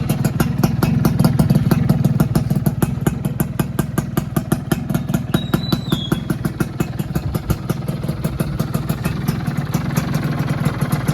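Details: 2001 Yamaha F1Z-R two-stroke, rarely used collector bike, started on its working electric starter, idling in neutral: crisp, even popping with a steady rapid beat, no misses or rattles; healthy exhaust.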